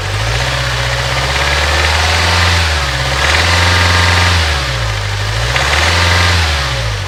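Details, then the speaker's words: Renault Trafic diesel idling after a new fuel filter, EGR checked: lumpy, uneven idle, the beat hunting up and down every couple of seconds; not the EGR valve, glow plugs, injector or water in the fuel suspected, unconfirmed. "just the same so it's not the EGR valve so the only other thing that it could be really is the gold plugs"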